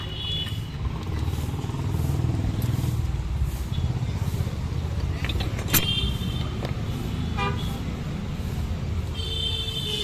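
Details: Swift Dzire after replacing the water pump (play in old pump caused chirping) with original MGP part: even, steady low idle rumble, no noise left, traffic and horns outside; normal idle.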